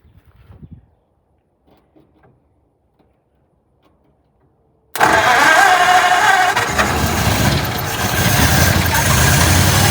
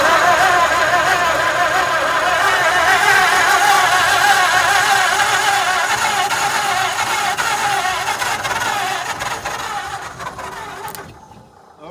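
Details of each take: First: 1948 Ford junkyard truck, unrun for decades, running on fuel poured into the carb bowl with throttle to keep it going: it catches and settles into a steady, even run with no knocks. Green coolant was leaking. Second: 1948 Ford junkyard truck, unrun for decades, in neutral, ignition hooked up: long, even cranking with no firing catch. It cranks but doesn't start; the owner thinks a little accelerant would have made it catch.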